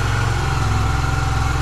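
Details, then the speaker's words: Yamaha YBR125 at about 5150 km, cold start outdoors on choke before an oil change: fast, even single-cylinder patter held steady with no knocks or misses; it warms over 3–4 minutes, rpm rising toward 4000. "будет прогреваться и по мере прогрева стрелка будет приближаться к 4000 где-то около 3-4 минут ему надо разогрев"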